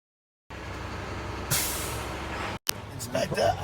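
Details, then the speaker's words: CDL class B truck in-cab pre-trip inspection on a hot day, building air to about 120 psi primary and secondary: steady engine idle, then sudden sharp hiss as the air governor cuts out at maximum pressure; normal. "I'm at my maximum air pressure. Once you hear that, you know you're there."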